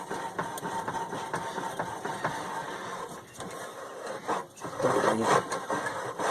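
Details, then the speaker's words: Penguin, sitting several years and just freed up, engine turned by hand out of gear: slow, uneven scraping and dry rubbing as rust under the magneto rotor drags on it; rotor should come off for cleaning; magneto rotor rubbing on rust. "Still rust making contact in there, and this rotor should come off and have everything cleaned out underneath it."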